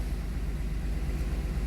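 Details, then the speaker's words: 2007 Dodge Nitro after fuel pump replacement and 6 gallons added (had run out of fuel, gauge wrong): low steady even idle, no misses or knocks, no leaks; normal idle, repaired. "So it is running. Thank God. In here. I got no leaks."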